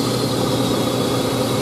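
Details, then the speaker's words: 2000 GMC Sonoma 2.2L I4 at idle, after belt and tensioner replacement: constant airy rush over an even idle, louder with AC on; owner suspects air in plastic intake, intake gasket or freon, not confirmed. "I mean it could just be air rushing inside the plastic intake I don't know I've just never really noticed it it only had it only happens at idle"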